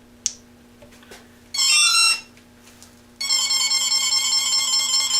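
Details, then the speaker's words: Parallax Elev8 quadcopter ESC on power-up with throttle slightly off idle: short high beep burst, pause, then steady repeating high chirp warning the throttle is raised; returning throttle to idle stops it. "I want to show you a little feature of this if the throttle is moved a little bit off from idle when I power up here's what'll happen"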